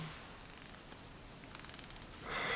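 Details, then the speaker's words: Hamilton Khaki Field Officer mechanical watch hand-wound by the crown: a faint, fast purring whir in short bursts that whines instead of clicking crisply; winding feels weak and the large crown feels fragile. "On this field officer watch, it just whines."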